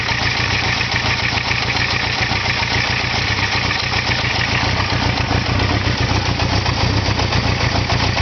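Engine idling with a rough, uneven beat and a harsh, busy chatter riding on top; something is off at idle, cause unclear.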